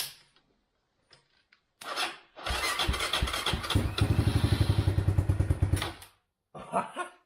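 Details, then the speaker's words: China ATV sitting over 6 years, oil not changed, starter fluid and choke on: brief cranking then catches into steady even single-cylinder putter; normal start and idle. "Idling after 6 years. Oh, more than 6 years of standing, and it just fires up."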